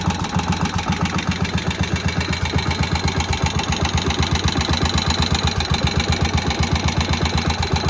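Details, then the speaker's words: Moto Guzzi single after head work and its first start in about 40 years, visible flywheel spinning: quiet motor, slow even thump about four beats a second, low rumble, no knocks or rattles. Healthy normal idle. "The motor to me really sounds quite quiet. That's the famous flywheel, famous Guzzzi single flywheel. Just spinning around."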